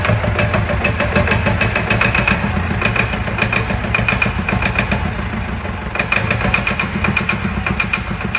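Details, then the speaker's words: Fire-damaged Perkins diesel in 1989 Sambron D2000 telehandler after wiring-fault fire, just started; turns over and catches with harsh uneven clatter and sharp irregular knocks, running rough but firing. "oh what a bit of kick you can't kill a Perkins I'm really impressed with that"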